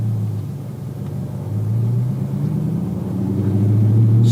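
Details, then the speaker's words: 2015 Audi R8 manual, 150,000 miles, not yet warm (coolant quarter, oil just past first peg), very open exhaust; pulls away in first, clutch engages mid-pedal, no slip or judder: normal pull-away. "so the clutch engages very well engages exactly where it's supposed to be right in the middle of the pedal travel"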